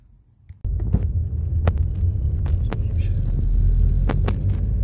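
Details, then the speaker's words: Car driving after brake discs were machined (skimmed), no steering or pedal vibration: over steady road rumble, sharp single knocks every second or so at irregular spacing from the front end; cause unknown. "И вот получился удар. Руля не бьёт, педаль не бьёт."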